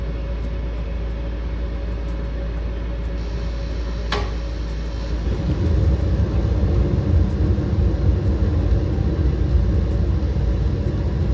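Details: Mr. Heater Big Maxx 80,000 BTU natural-gas garage heater, after a hose connector was fitted to tighten over the fan to cure noise: low rumble settling as the fan comes up to speed, even with no rattle, normal fan running.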